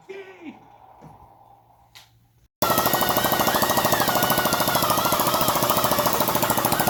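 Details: Restored Honda C102 50cc after valve adjustment and cleaning the ignition points: the single fires and holds a brisk, even popping beat with no misses. It runs properly.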